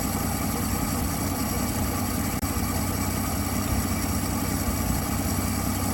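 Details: 1959 Dodge Coronet idling after fixing a sticking carburetor needle valve that had starved it of fuel: steady, even smooth low rumble with no knocks, misses or ticks; runs cleanly.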